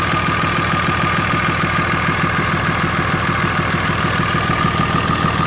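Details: 6.7 Cummins diesel at idle after a new head gasket, ARP 425 studs, reused exhaust manifold gaskets and valve lash set .010 intake / .020-.022 exhaust: an even, sharp tick about three a second. Owner suspects valve lash or an exhaust leak; dual-disc clutch vibrates in neutral.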